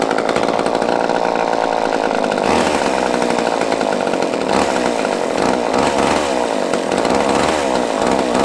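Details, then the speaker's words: Two-stroke chainsaw picked up used, old fuel dumped, fresh gas added; screams at high revs with a slightly uneven, wavering note. Impulse/fuel pump works (fuel seen reaching carb); runs but carb likely needs tuning. "Well, I know the impulses or the pump's working because I can see fuel going to the carb, so we might have to play with that one a little bit. But it runs too."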